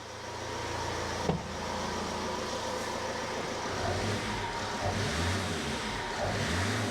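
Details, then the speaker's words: 2007 Ford Transit Connect 1.8 diesel just after a fuel filter change, possibly a little air in the system: ticks over evenly, picks up cleanly on light revs and drops back smoothly; no misfire or hunting. "Sometimes they run a little bit lumpy because there will be a little bit of air in there, but hopefully it's very minimal. I'll give it a little rev."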